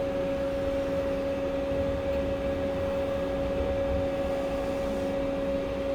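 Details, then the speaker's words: 2004-2006 Volvo S80 A/C recharge, machine charging 1 lb 54 oz of refrigerant: constant mid-pitched hum that never wavers, gauge needle moving; normal refrigerant charging. "now you're gonna hear the sound you hear like uh some type of like this that means it's charging i'm saying and the needle is moving"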